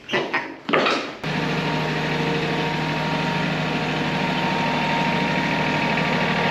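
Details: John Deere E140 riding mower that quit while mowing because it was not getting gas; a leaf blocking the fuel was removed. It cranks briefly, catches, then settles into a steady, even, high-pitched idle with no stumbling or surging.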